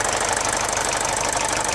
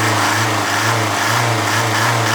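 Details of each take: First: Mercedes OM601 diesel idling after the head gasket was replaced, which restored oil feed to the timing chain tensioner: an even, rapid diesel clatter with no rattle or knock on top, so the earlier warm-idle chain rattle is gone. Normal. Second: Mercedes OM601 diesel, warm idle, oil pressure half bar: loose uneven metallic rattle about three per second, heard from the injection pump, gone when cold or at raised rpm; head gasket leak starves chain tensioner oil, slack timing chain rattle.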